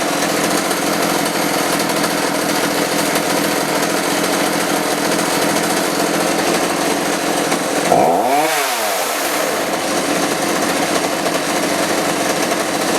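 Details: Roughly 35 cc chainsaw with 14-inch bar after replacing the bad spark plug and a carb adjustment; high steady buzzing scream, brief drop, then a clean climb back to full revs, healthy.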